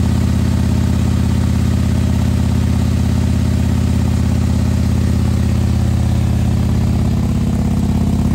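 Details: Custom 2020 Harley-Davidson Road Glide 130-inch performance bagger on first start: deep, even lumpy V-twin potato beat at idle, steady with no ticks or knocks; normal idle.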